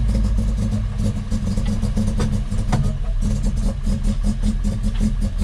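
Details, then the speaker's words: 1966 Volvo 122S Amazon, cold, after weeks of sitting, with worsening cold starts and a recent no-start, possibly flooded. Battery trickle-charged. Idle stumbles, surging and dipping irregularly. Owner says it runs really rough, almost like it's not getting fuel; unconfirmed. "really rough almost sounds like it's not getting gas fuel something"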